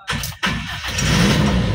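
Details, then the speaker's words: Toyota Kijang Super engine started after a partial engine teardown and rebuild, radiator and oil refilled: quick crank, catches at once and settles into an even idle, no longer limping as before; some roughness still put down to oil. "Langsung hidup ya teman-teman dan sudah nggak pincang kayak kemarin"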